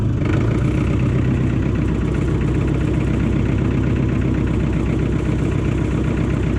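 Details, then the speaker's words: John Deere 1010 crawler dozer, sat in a garage about 12 years, running after bleeding air from the injectors: low, steady diesel chug at idle with an even beat, no knocks or misses; healthy normal idle. "well there it is i mean it's fixed up and running don't really have anything good push with it but it all works so i guess that was a success"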